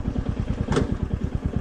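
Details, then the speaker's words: Royal Enfield Meteor 350 single-cylinder during offroad riding; steady thumping beat with one brief hiss; rider doesn't know the sound, thinks ABS kicks in under hard rear braking; unidentified noise, source unclear. "I don't know what is that sound. I think it is the ABS kicking in whenever I try to hard rear brake."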